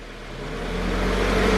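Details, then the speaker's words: 2016 Subaru BRZ at 65k miles, just after a spark plug change: smooth, steady idle settling to normal speed as revs fall, radiator fans on because the AC is on; engine sounds healthy. "there goes idling where it's supposed to be fans kicked on because i have the ac on sounds smooth sounds good"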